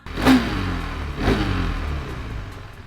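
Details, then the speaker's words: KTM Duke 390 single after repair of engine knocking caused by worn rocker arm and shim: two clean rev blips rising and falling smoothly with no tapping or knock; engine sounds healthy after the fix. "ഡയൂക്കിന്റെ engine അങ്ങട്ട് set ചെയ്തിട്ടുണ്ട്. ആ sound ഒക്കെ അങ്ങ close ആയി."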